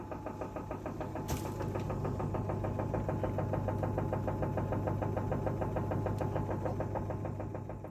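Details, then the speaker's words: Washing machine on an empty spin cycle: drum turns with a steady hum and a regular knock about three per second, from a drum detached from the spider arms. "then stop the drum and move the drum pedals backwards and forwards if you can hear a rattling sound or if you feel a gap between the drum and the spider arms at the back that means the drum is detached from the spider arms"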